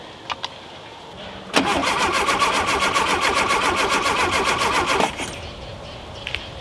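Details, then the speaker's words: Rare VW Super Beetle Baja Champion Edition, first start in years: starter turns the engine over evenly about four times a second for 3.5 s without firing; points open and close with power but no spark, bad condenser suspected. "Got no spark. We got power there? Yeah, we got power. So why aren't the points sparking?"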